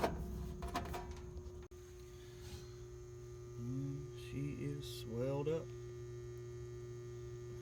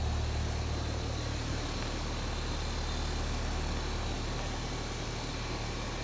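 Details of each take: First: Old outdoor AC condensing unit on a no-cool call: a steady low electrical hum with no motor spinning up as it tries to start and stalls; bad capacitor, with a slight piston restriction also diagnosed. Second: R22 outdoor HVAC condenser running after its bad capacitor was replaced on a no-cool call, with a slight piston restriction also diagnosed: a steady low hum with an even fan rush, no clicking, rattling or pulsing as it stabilizes.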